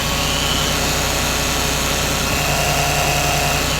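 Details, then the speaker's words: Mercedes SLK R170, 25-year-old electric fuel pump mounted close to a hot exhaust pipe: a constant high whir with no pitch change sits over the running engine. The old fuel pump is noisy. "Yeah, that's quite a whir there, isn't it? It's an older motor. It's 25 years old, we know this."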